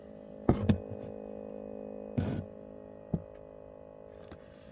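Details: DAF vehicle: steady, even buzz with a low hum, unchanged throughout, a few dull knocks; the dealer had it two days and failed to stop the buzzing.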